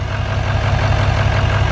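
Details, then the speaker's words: L5P Duramax diesel, stock, 101,000 miles, idling outside with hood open: deep uneven chug, misfire with reduced engine power from a bad injector pigtail wiring connection. "now if you can hear that in the video that distinct you know sounds like it's misfiring hood open we got engine power is reduced"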